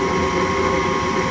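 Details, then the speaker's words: Gas furnace that lit then went out, after cleaning and reconnecting the flame sensor, turned on from the thermostat: steady, even hum with a constant mid tone and no rubbing or rattle; blower running normally. "I'm going to go back over to the thermostat and I'm going to turn it on and see if we can get some heat and see if those Flames will stay ignited so now you can hear the fan blowing just like"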